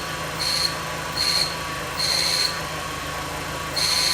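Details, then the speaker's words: Audi S3 8L that sat in a barn for 9 years, at idle: shrill high squeal in short irregular bursts over a smooth engine that stops when the clutch is pressed. Clutch release bearing squeal, likely rust or no lubrication. Clutch engages fine. "So, what you're hearing, guys, is a release bearing on the clutch. This is not a car you want to be changing a clutch off."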